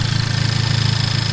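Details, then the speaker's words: Honda FK8 Civic Type R first start after a PRL flex fuel kit and Stage 3 flex fuel tune: quick, even, loud tick over a smooth idle, louder than ever before; ticking at idle, source unknown. "I'm hearing a ticking sound, like something is rubbing up against something else. Or is it just the engine? I don't know, I can't tell."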